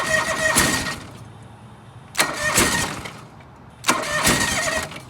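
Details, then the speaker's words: John Deere 445 twin, coil/plug test running on one cylinder with bad spark plugs, engine too cold; three tries each catch with a rough burst, sputter about a second and die, misfire-like; stalls after starting, cause suspected not confirmed. "yeah this one's too cold it's not gonna try well it doesn't help the plugs are bad"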